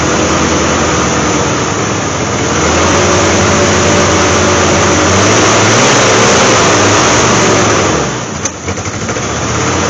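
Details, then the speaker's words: 1988 Jeep Wrangler 2.5L four-cylinder, cold, new plug wires; uneven lumpy running about 220 beats a minute with a dip before near stall, rear cylinders not firing. Owner suspects timing; spark check showed no spark on a rear wire. Engine misfire. "I'm obviously getting sparked to that that uh distributor and it's going around but the timing is off it's not firing those rear and she's going to stall on H sh"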